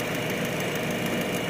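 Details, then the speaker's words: Toyota Vios with an ABS warning light from a faulty right wheel speed sensor, at idle: uneven idle with a faint irregular stumble under the steady engine note, a mild misfire, not obvious but present, later shaking more. "So palyado siya mga katamba no palyado ang andar nito hindi masyadong halata pero palyado yan"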